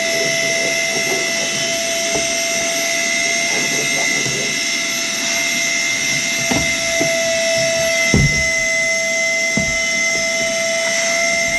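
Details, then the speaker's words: Worx WX031 brushless wet/dry vacuum: strained high howling with occasional debris clunks, filter clogged during heavy pickup. Vacuum motor straining from a clogged filter. "you can hear it there howling in distress because quite obviously the filter is going to be fairly well popped up which it is"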